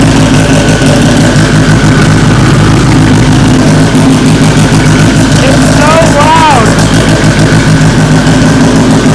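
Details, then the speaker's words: First start of the freshly assembled engine (JBR-built short block, head fitted) in an AWD EM1 Civic Si build aiming for 1000 hp: a loud, steady, even idle with no misses or knocks over the drone; normal idle. "All right, that first start went abnormally perfect. Just ridiculously smooth."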